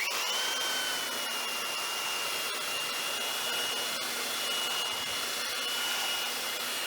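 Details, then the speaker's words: Makita belt sander with fairly coarse, well-worn paper and a sticky switch, sanding a board: a steady high-pitched motor whine over an even rasp of paper on wood, holding speed under load; normal running. "it's um done a beautiful job on that board and it's it's fairly coarse paper uh it was probably well worn but it still does the job yeah"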